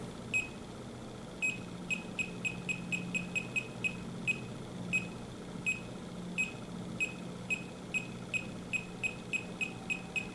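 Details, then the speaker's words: Leak detector held about a quarter inch from a CFC/HFC refrigerant reference leak: fast, sharp high-pitched ticking beeps quickening steadily; detector alarming on the leak. "if you just listen to this ticking that was about a quarter of an inch"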